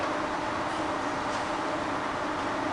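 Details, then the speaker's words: Bridgeport belt-drive milling machine, quill power feed, knee serviced with new bearings: steady, even hum and hiss with no knocks, chatter or grinding; quill feed runs smoothly and quietly, normal operation. "That is all working great. Okay. So I'll put on to the higher range now, highest level speed. Again, it's lovely and quiet."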